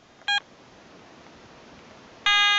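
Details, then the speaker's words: Garrett ATX metal detector on a North Queensland beach, running on rechargeable batteries with a Power DD 10x14 coil cover: one short beep, then a sustained tone as the 30-second frequency scan begins. "And the first thing I'm going to do is my frequency scan,"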